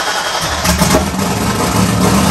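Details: 1994 Mustang 5-liter with Holley Terminator X, high ram, Anderson N41 cam, Pro Comp heads, turbo setup, open downpipe: first start after no-start fix, loping uneven raspy idle, possibly too much fuel, needs serious tuning; rough running.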